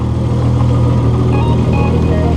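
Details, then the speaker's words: Turbo VR6 after new exhaust manifold-to-turbo T3/T4 flange and intake gaskets to cure an exhaust leak causing rich bouncy idle (AFR 10); after 8 minutes idling, AFR 12–13; steady even low rumble, no hunting or misfire; normal idle. "So that's exactly 8 minutes idling on the clock. The air fuel ratio is perfect. It's at 12, 13. Well, I guess problem solved. She's good. The idle is perfect."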